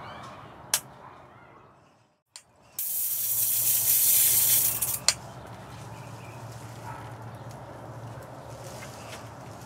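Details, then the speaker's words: Tesla coil on microwave-oven-transformer DC supply with variac, 20 cm spark gap, air blast off: loud buzzy hiss over a low mains hum as the primary gap fires unquenched, producing no secondary spark. "Okay. I think you can hear the gap firing, but as you can see, there's no spark."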